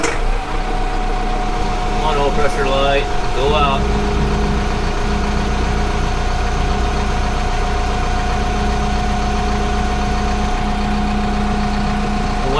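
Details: Kubota M15GX diesel after engine rebuild, just after first start: steady, even clatter at a settled idle with no knocks or misses; oil pressure light out, running healthy.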